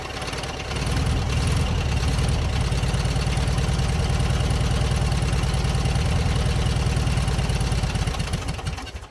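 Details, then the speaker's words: Long-parked 1967 VW Beetle: lumpy, uneven low chuffing that wanders and nearly dies. It is running only on accelerator-pump fuel, and the owner suspects fueling issues from old fuel, planning to drain the tank. "definitely only running on the accelerator pump. If I pump it a lot, you know, it probably puts enough fuel in the intake where it's kind of running off the fumes of the excessive amount of fuel. So I think we have fueling issues at the moment."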